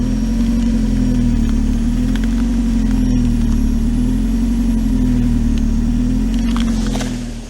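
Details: Car with fully manual climate controls and no air conditioning, which had a fuel leak on the drive home, idles with a steady low drone that wavers slightly and never settles; persistent hum at idle, source not yet pinned down.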